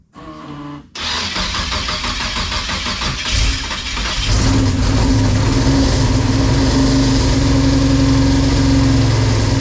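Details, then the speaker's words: V6-swapped Chevette with fresh drivetrain, first startup: cranks, catches and settles into a lumpy idle with steady popping stumble; two neighbouring cylinders dead, suspected crossfire from crossed spark plug wires. "I got two dead holes and they're right next to each other and it's popping like it's got a wire cross."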